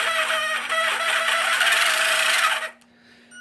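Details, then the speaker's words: Motor of a worn used Traxxas Slash 2WD RC truck running on the bench, ESC green light: harsh, rattly high-pitched whir with a coarse grinding edge, then cut off; owner suspects rusty, worn-out parts inside the motor, not yet confirmed. "That is in need of some work. So that sounds like rusty parts, worn out parts."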